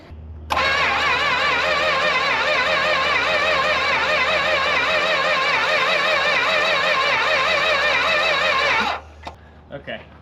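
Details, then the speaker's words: 1964 Chrysler Newport, last driven about 22 years ago, fed fuel from a boat tank: steady starter cranking with wavering, pulsing whine for about eight seconds and no firing; cranks but won't start, bad fuel pump suspected. "I do believe we need a fuel pump."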